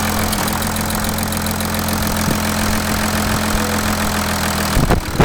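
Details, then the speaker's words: Audi A6 V6 TDI diesel idling after timing chain replacement, first start: steady, even idle with a smooth regular beat and no knocks, rattles or ticks; running normally. "pour le moment tout va bien je vais la laisser tourner le temps de remonter toute la face avant"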